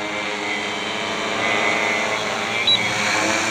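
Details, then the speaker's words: Stretched Alien 560 quad, 580KV motors, 15x5.5 props, 8000 mAh pack, hovering in GPS mode: steady even high-pitched motor and prop whine with two throttle-center beeps; smooth, stable hover. "just currently hovering in gps mode you see it's holding its altitude fairly nicely and operating so quietly"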